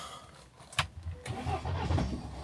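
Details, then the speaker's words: Salvage Copart car on a freezing cold day, jump pack fitted after battery died, owner suspects glow plugs: short crank, catches briefly and rises, then dies; starts then stalls, sounding very close. "oh come on it's like it starts and then turns off cuz it thinks it's actually started for a second oh come on it sounds so close"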